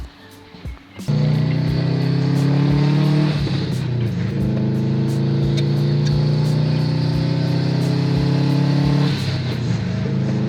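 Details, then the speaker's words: Subaru WRX after limp-mode diagnosis, ECU corrections now healthier: engine note climbs cleanly through the revs with strong pull and no stumble, then settles; turbo boosting normally again. "Okay, so I am like struggling to stop the smile from forming on my my face because the car is boosting again. My turbo is back."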